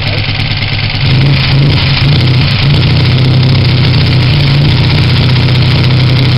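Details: Honda CG125 project bike, first start after rebuild with new pod filter, carb tickled, flat battery: steady low single-cylinder thrum at idle with even firing, no knocks or rattles; runs normally.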